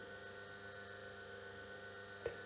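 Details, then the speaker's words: Myford single-phase lathe motor, resilient mounted, 4-pole ~1440 rpm at 50 Hz; steady quiet mains hum, 10-second A-weighted LAeq measurement shows a level 10+ dB lower than the three-phase motor on VFD. "comparing this to the three-phase motor you can hear and see also that this has a on the sound level a significantly higher signature 10 db plus in comparison"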